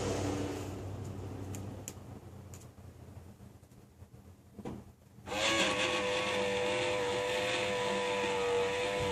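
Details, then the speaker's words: Aftermarket replacement power antenna motor, run by remote and heard up close from outside: a steady, fairly loud whine kicks in suddenly and holds an even pitch; much bigger than the factory unit. "But I'll give you an idea with the remote how much louder this thing is up close."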